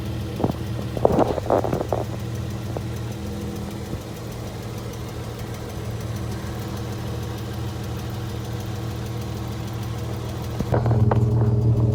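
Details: Dodge Charger with Chrysler 3.6L Pentastar V6 idling: light, fairly regular tick about four a second over the hum; ticking noise later fixed.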